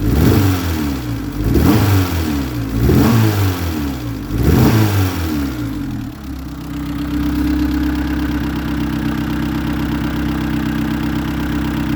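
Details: Engine revved in repeated blips with uneven popping and a rough, irregular beat returning to idle: a misfire with exhaust backfires. A visible exhaust leak may be the culprit, suspected and not confirmed.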